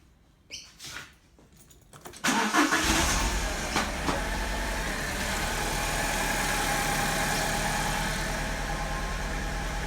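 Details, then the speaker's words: 2002 Alfa Romeo 147 2.0 Twin Spark, starting then idling: uneven stumbling idle with a cylinder dropping out, miss on idle and acceleration. "This is my Alpha 147 2002 2-litre twin spark. I have a miss on idle and accelerating."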